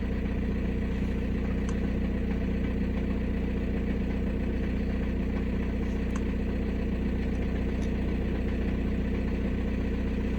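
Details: 2006 VW Passat B6 1.9 PD TDI, 318,000 km, after the underhood wiring fault was repaired: steady, even low diesel idle with no knocks, misses or hunting; now starts regardless of gear, injector corrections normal.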